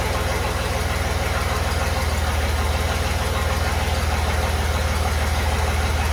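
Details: Chevy 4.3L V6 swapped into a Willys CJ5, exhaust only run halfway back with no muffler. Deep, lumpy idle chugging about three pulses a second, down on snap. Retarded timing: the distributor cannot rotate far enough to advance it.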